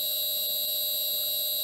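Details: New replacement motor for a shaper, run on an inverter, connected after the old motor failed: steady, even high-pitched electrical whine with no knocks or rubbing; normal running.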